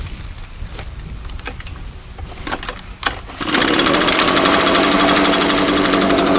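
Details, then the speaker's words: Echo PB-580T two-stroke gas backpack blower, already test-started, catches on one pull. It settles into a steady, even, high-pitched buzz without hunting. Normal start and idle. "there's music to my ears because I can hear it okay we've never used a backpack blower before"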